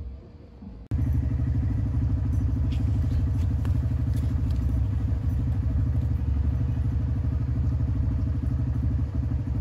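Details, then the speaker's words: Honda Grom riding after cleaning and greasing the rear brake pads and caliper: a steady small single exhaust beat with no squeal. Rear brake squeak fixed. "all right as you guys just saw that uh brake noise is not there anymore so incredibly happy with that"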